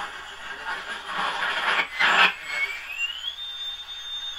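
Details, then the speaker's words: 1935 Silver Bell mystery radio after electrolytic and paper capacitor replacement; hiss and crackle swell into a piercing rising whistle as volume is turned up: goes into oscillation, 10k resistor on schematic suspected of affecting the bias on the 66 tube. "going into oscillation when you turn the volume and if you look on the schematic you'll see that the 10k resistor is affecting the bias on the 66"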